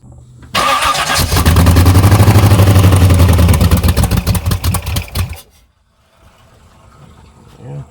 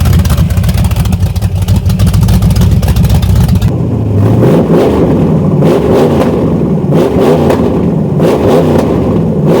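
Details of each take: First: S10 Blazer with swapped SBC 383 V8 and MSD ignition: cranks and catches with lumpy, uneven idle; cylinder misfire, cylinders five and six suspected dead. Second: SBC 383 V8 in S10 Blazer with MSD ignition, after replacing two burnt plug wires (including number six) that caused two-cylinder misfire: deep steady rumble, clean rising and falling revs with no stumble; all eight cylinders firing evenly.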